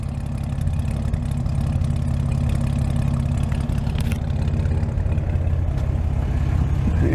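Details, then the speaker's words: 1949 Chevy truck, 235 six with aftermarket cam, fully warmed up, idling around 600 RPM: smooth, even low rumble with no misses or knocks; healthy idle. "sounds like idling a fully warmed up 235 at around 600 RPM"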